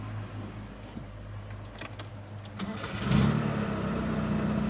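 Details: Hard-starting engine before carb work: the starter churns at about four beats a second for roughly three seconds before the engine reluctantly catches and settles.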